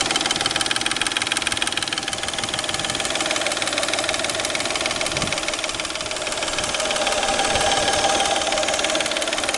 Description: Стук в двигателе Peugeot 607 3.0 V6 в районе грм.